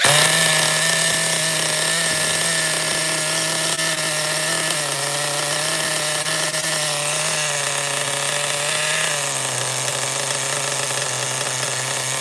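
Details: Schumacher XTR-3E nitro stadium truck on first fire-up restart, no preheat, engine very cold: rough buzzy high-pitched drone that barely revs and sags near the end; beyond rich, no more RPM available, needs leaning out.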